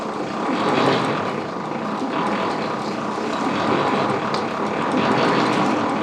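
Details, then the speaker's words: 1930s Ford Model A that sat over 20 years, cranked with no spark plugs in: the starter whirs slow and labored, barely turning the engine over; the owner suspects poor battery cables and plans to fit new ones. "all right we got this thing to turn over a little bit uh it's been a pretty slow so i think i'm gonna go get some uh new battery cables here"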